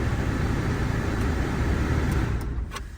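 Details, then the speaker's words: Wrecked Peugeot 208 diesel bought from a Copart auction, engine-fault-repair warning on the dash: steady, even diesel clatter at idle with wind gusting over the mic, no knocks or misses. Owner says it sounds spot on and suspects a broken cable or connector behind the warning. "Going in with the key, there it is. Copart active. Oh, that sounds spot on."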